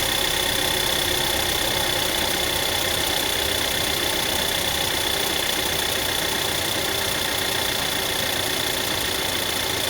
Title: Tiguan MY2009 rattling sound from engine